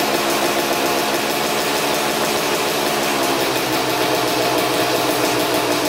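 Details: 2000 Suzuki RM250 two-stroke (249cc), unrun two years, fresh premix fuel, cleaned carb, good compression: buzzy idle far louder and raspier than normal; big split in the expansion chamber leaking exhaust, basically straight-piped, needs welding.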